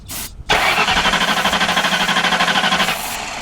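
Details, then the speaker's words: 1992 Ford Crown Victoria hurricane flood car, 11k miles, with carb cleaner or starting fluid sprayed in: the starter spins about three compression pulses a second but it never fires; the fuel pump is heard and no spark is suspected. "okay hold on try now seems like maybe it ain't getting spark that's weird I hear the fuel"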